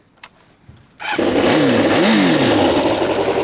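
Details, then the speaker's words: Kawasaki ZL600 after valve clearance adjustment, new coils, new battery and cleaned carbs (engine itself not rebuilt): starts on the button, revs twice and settles into a smooth steady idle; healthy clean start. "starts on the button everything's rebuilt Everything's changed"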